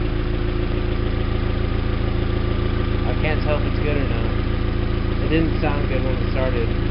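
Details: 2001 Audi A4 1.8T Quattro just started after oil pan replacement: steady idle with an uneven beat about three times a second under the engine note; cause unconfirmed; rough running.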